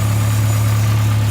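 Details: Newly fitted engine during its running-in phase; the breather is lighter, with no oil smell or exhaust smoke. A low, even hum at a smooth, steady idle with no knocks, misses or ticking. Normal idle.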